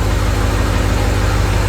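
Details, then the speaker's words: Ford 6.0 Powerstroke diesel on stock fuel with a newly fitted S369sxe non-VGT turbo: a deep, steady, even idle with no clatter or miss. It is left idling a few minutes to let oil cycle through the turbo, and it sounds healthy. "this sounds so good early arrival for a few minutes let the oil cycle through the turbo"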